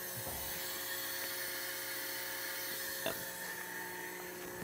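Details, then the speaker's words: 1969 Chevrolet Camaro 396 big-block consuming oil, leak-down test with engine off: steady airy hiss and thin whistle, leakage escaping into the crankcase via the lifter valley, confirming the wet compression finding that this cylinder's piston rings leak. "say a hundred percent of any leakage is coming is escaping up through that crankcase which means back to what we said with a wet test on the compression these rings are leaking"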